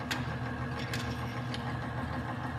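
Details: Lubricant test rig, high-temp extreme-pressure test of Huskey Tough Stuff grease on loaded armature, weights added two plates at once: steady even motor drone with low hum, no high-pitched squeal or grinding; lubricating film holding, bearing quiet under load.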